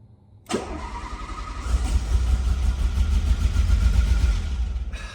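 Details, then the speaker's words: Renault Alpine GTA Turbo pulled from a storage locker after years of sitting, cranking: about five seconds of low, even starter rumble with a clearly audible fuel pump whine, but no catch. Crank no-start from stale fuel and an unplugged injector. "I have not been trying this over and over and over for hours or anything. I can hear the fuel pump really well."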